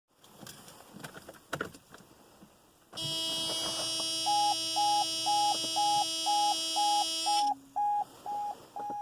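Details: 1993 Mercedes-Benz R129 SL500 with a no-start issue; steady tone with a clipped warning beep pulsing about twice a second; meaning of the beeping unknown.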